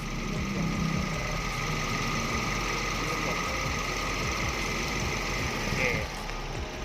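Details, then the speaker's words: 2010 Toyota Vios, 26,074 km, idling after a new AC compressor clutch and Denso relay: steady, even idle with a faint constant whir, compressor engaging and cutting out properly, no slipping or chatter; normal idle with AC compressor engaged. "อันนี้ก็เรียบร้อยนะครับคอมเพรสเซอร์ก็กลับมาทำงานนะครับอันนี้ตัดนะครับอันนี้ทำงานแล้วนะ"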